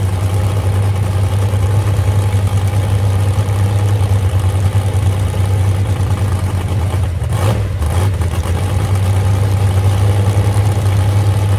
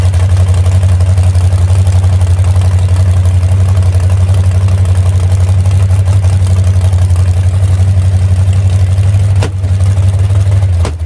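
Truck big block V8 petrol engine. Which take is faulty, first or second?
second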